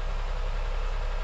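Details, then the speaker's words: 2001 Honda Insight gen 1 hybrid, about 320,000 miles, off the road 7 years, idling cold in a garage with bonnet up while battery status establishes: low, smooth, even hum, no knocks or misses; surprisingly quiet, normal idle. "even when they're stone cold they're surprisingly quiet"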